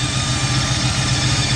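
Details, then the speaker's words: Cold engine, possibly a Camry, at a rough, misfiring idle after the exhaust manifold gasket job, with a strong hiss on top. Sounds like a bad exhaust or vacuum leak, not yet located; the owner suspects the gasket. "It just sounds like crazy exhaust. That sounds like a vacuum leak though."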